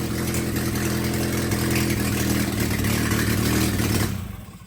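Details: Willys F134 engine stored for years, pulled from a spare-parts pile: lumpy, uneven irregular firing that fades and stalls after about four seconds; rough running.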